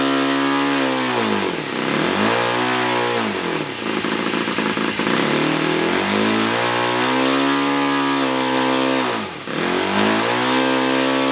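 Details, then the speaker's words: Laser 61 four-stroke model glow engine after removing metal fragment jamming inlet valve open, compression restored: crisp strong buzz climbing and dropping cleanly through throttle blips, no misses; normal running. "well it seems to be all going now so let's just give it a little test"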